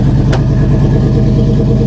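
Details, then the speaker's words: GM V8 jump-started from a dead 7.9 V battery, with the original intake: deep, even burble with a steady low pulse and no ticks, knocks or stumbles; smooth, normal idle. The alternator charges at 14 V. "Oh, this is nice. This is real nice. Listen, that thing purr."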